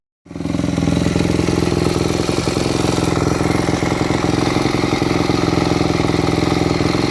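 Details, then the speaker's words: Warm four-stroke motocross bike with a Keihin FCR-MX carburetor idling with the pilot fuel screw set too lean: irregular crackles and pops from the exhaust. This starves the engine of fuel and makes it hard to start. "did you hear how much popping and carrying on i would call it coming out of the exhaust was occurring that means your fuel screw was adjusted too lean"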